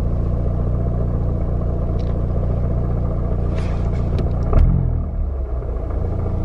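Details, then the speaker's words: MK7 Golf R at idle with new clutch, pedal released: low, uneven gear rattle chatter over steady idle, faint and not loud; not a clutch noise, owner says thicker transmission fluid can reduce it. "i don't know how well the camera really picks it up but it's not loud at all like sitting here at idle you can hear it just a little bit but it's not bad at all and you can uh mitigate that by changing out trans fluid to something a little more thick because really it's not even a clutch noise"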